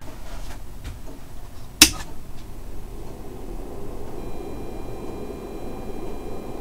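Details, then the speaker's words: Stock cooling fan of a brand-new Korad KA3005P lab power supply: sharp switch-on click, then a rough, raspy whir with a faint high whistle; sounds like broken fan bearings. "note that the stock fan of the Reigle is pretty bad but the stock fan of the co rad is downright broken I've never heard a brand new fan that made such broken bearing noises absolutely terrible"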